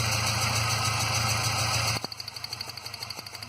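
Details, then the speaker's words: 2006 Ford Ranger 2.3L four-cylinder, 188,520 km, P0300/P0303, cylinder balance test at idle: disconnecting a good cylinder's coil makes the idle drop to a weaker, uneven loping beat, more misfire, confirming that cylinder fires, unlike cylinder 3. "al desconectar a anularlo otro cilindro ya vemos que el motor tendía a fallar bastante y bajaban aún más sus revoluciones"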